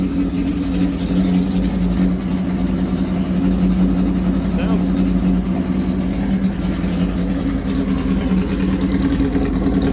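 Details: 1967 Honda CB160, cold engine: running uneven and labouring at low speed as the choke comes off, close to stalling; not yet warm enough to run without choke. Cause suspected, not confirmed.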